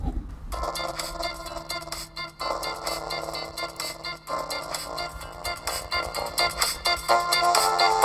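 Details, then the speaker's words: Mid-2010 13-inch MacBook A1342 playing music through its built-in speaker: harsh, buzzy breakup even at fairly low volume from a blown speaker, later replaced with a used one. "i think the speakers are going bad so i'm gonna play this intro sound from my youtube channel and you can hear how bad it sounds hopefully"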